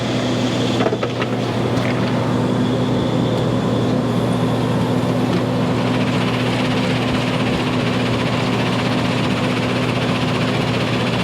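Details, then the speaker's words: 2200 mesh screen plant, freshly started: a steady low drone with a constant hum and no rise. The screen is running slow at 925, so its speed adjustment is about to be turned. "Running slow, that. Yeah. Right, so we're running at 925, so yeah."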